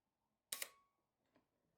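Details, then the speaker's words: Repaired 1960s Canon Demi S half-frame 35mm camera, shutter at about 1/15th: two crisp clicks roughly a tenth of a second apart, opening then closing, clean and even. Normal slow shutter operation after repair. "again, obviously once you get slower than a 30th, you can really start to hear the difference."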